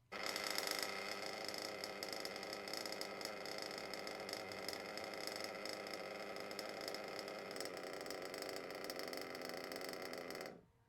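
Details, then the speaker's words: Warmed RC nitro engine (about 100°C) with idle set a tad too low: lean, loping idle with individual ticks audible, then it cuts out abruptly and stalls; low idle can die when braking into corners. "so this is just a tad too low and there you go it died so let's go back and just listen to the transition there so first i had it to the good idle then i lowered it a bit to where it's a bit unsafe you can almost hear the individual sort of tick tick tick"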